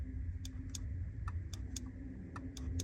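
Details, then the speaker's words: 2013 Kia Soul with aftermarket key fob: locking by fob gives only sharp irregular relay clicks over faint engine hum, no actuator thunk; doors don't lock. Suspected door lock actuator or IPM control module. Relay clicking without lock actuation. "I'm going to lock it again. It's not doing anything. I don't know if you guys can hear it, but I can hear the relay"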